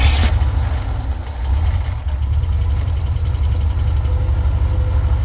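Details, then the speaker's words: Jeep CJ7 idling: low uneven thump with occasional stumble; misfire traced to one cylinder, no change when its plug wire pulled, plug found fouled again. "But before we can do that, I noticed I kind of developed a small misfire on the old Jeep. It seems to be coming from one of the spark plugs."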